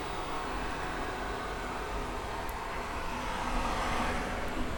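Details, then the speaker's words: Mingda Rock 3 FDM 3D printer with TMC2208 silent stepper drivers, mic brought close during a print: soft, steady fan hiss, no stepper sound at all; quiet, normal printing. "yeah, very quiet, no stepper sound at all. Some fan noise, and it's not very loud either, so that's definitely a plus for this thing."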